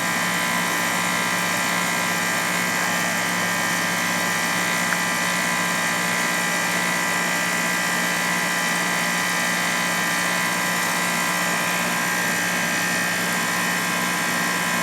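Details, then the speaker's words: Heat pump compressor, which the technician thinks sounds like a Goodman, at 31° outdoor temperature with 95 discharge: a steady, even hum with a constant tone and fan whoosh, no knocks or rattles. The compressor is operating normally. "all right okay guys yeah the compressor sounds like a Goodman"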